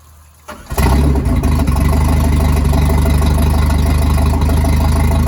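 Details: Starcraft boat, believed 1986, stored six months, janky hot wire battery-to-coil; after strong spark check and possible plug wire replacement, on water hookup the engine catches after a second and settles into a steady, even low idle with water flowing out; normal idle, running very well.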